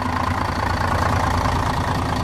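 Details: Setra S 315 bus (Wagen 83): steady, even diesel idle with a low regular beat and no knocks or rattles; engine runs smoothly and sounds healthy.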